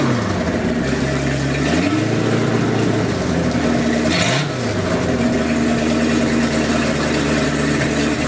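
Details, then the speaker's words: Sea Ray 220 boat with 7.4 big block V8, cold start at about 65°F: steady idle with smooth revs, no knocks or misses; occasional stumble attributed to water in the gasoline. "as long as it runs see if I get a season out of it and save up the money to put a new engine in next year if that's the case but it seems to be running okay it's smooth as silk"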